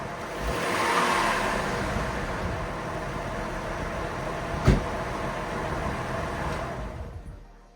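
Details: 2002 GMC Envoy with code P0495 and an extremely loud, jet-like cooling fan from a bad fan clutch. After the replacement, the engine runs with a moderate, even fan rush and no roar; the new fan clutch works normally.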